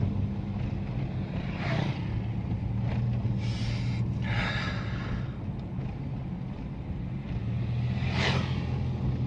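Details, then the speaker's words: Toyota Yaris automatic, test drive on concrete road after repairing a loose bolt and replacing worn shock absorber mounts: low steady road rumble, no creaks, knocks or odd noises; suspension now quiet and sound. "Tapi secara tidak langsungin secara langsung apa untuk kaki-kakinya nya udah enak sekali ya sudah enak sekali enggak ada bunyi-bunyi yang aneh atau bunyi-bunyi yang buat telinga itu enggak enak didengar ya"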